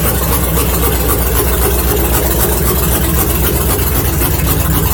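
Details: LS-swapped Miata, steady idle after adding a few gallons of fuel; owner thinks running low caused the loud fuel pump, which now sounds better. Steady deep idle with an even, quick beat and no knocks or misses.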